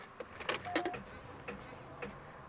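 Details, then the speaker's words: Cadillac with dead battery (about 1.1 V) jump-started by a JF.EGWO 6000A jump starter frozen two weeks near -4 F, no preheat; sharp irregular clicking, no crank. Starter clicking, no crank. "you're clicking oh I hear a lot of clicking"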